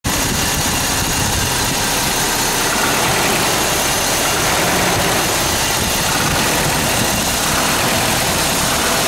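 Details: Toyota 22RE engine at steady idle with a rough, uneven rattle of no clear rhythm, described as a death rattle; something loose or worn, source unclear.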